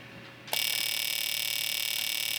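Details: Fuel injector pulsed by a handheld injector tester after the tester's trace repair and reassembly; fast, even electric buzz of clicks starts abruptly and holds steady. Normal injector operation.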